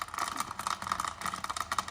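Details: Solid Callebaut chocolate callets dropped into a running Nespresso Aeroccino 3 with cold milk and the spring off: quick uneven clattering taps over a light motor hum as chocolate pieces knock against the whisk before melting.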